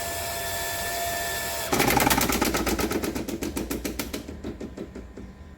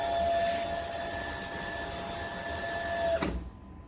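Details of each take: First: Home water supply with a booster pump feeding a pipe manifold from a rooftop tank: steady pump hum, then a bang and fast rattling knocks that fade as a tap shuts suddenly; water hammer vibrating all manifold pipes. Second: Household water pump after the water-hammer fix: pump hums at a steady pitch with no banging in the pipes, then shuts off cleanly without a hammer knock; normal pump operation.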